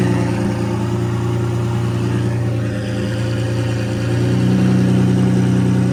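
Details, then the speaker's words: Lamborghini Murcielago V12 (two ECUs, two fuel pumps), after fuel tank refitted: smooth, even idle, steady low hum, no misses or knocks, running on both banks and burning off old residue; normal idle. "running on both banks it still burned out some of the crap from before"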